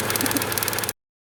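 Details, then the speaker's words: 2006 Subaru Outback SOHC after head gasket and water pump replacement, started deliberately on three cylinders: short, lumpy, irregular idle with faint crackling tick; sounds like sparking somewhere; rough idle. "yay so a little rough on three cylinders but it's running so there we go"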